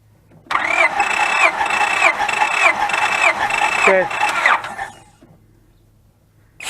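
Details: 2004 Honda Pilot with misfire and code 1399, cranked during a compression test: starter spins steadily for about 3.5 seconds with even compression beats, no weak stroke; healthy cranking.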